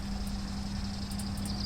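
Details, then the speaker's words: Engine rattle on a 1954 Gravely single-cylinder during ignition timing and points work: steady idle thump with a loose, tinny rattle like a bucket of bolts. Oil pressure reads low, in the red, and governor needs sorting; cause not confirmed. "I'm hearing a lot of rattling. It sounds like a bucket of bolts here."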